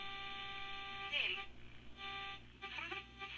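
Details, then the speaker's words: Restored Sony 6RC 23 AM clock radio, midband 800 kHz check with test tone: clean steady tone slides away and back as dial rocks across it; dial considered calibrated. "that seems good enough we'll consider that the dial is calibrated"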